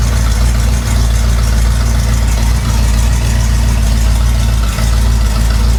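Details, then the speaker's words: 1961 Cadillac DeVille, engine and transmission refitted from a hearse, first start after fuel delivered: deep steady V8 rumble with even beat, no knocks or misses, settling into a clean idle. "Here it comes. Yeah, we're getting fuel. Sounds pretty good."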